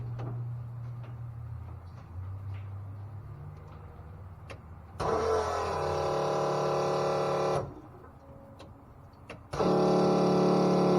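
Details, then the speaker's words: Electric fuel pump after rewiring with dual 30 amp relays on a turbo car: steady hum switches on, drops slightly as fuel pressure builds, stops and restarts cleanly; pump working properly. "So it seems like fuel pump's coming on. You can hear it bog down. It's building fuel pressure."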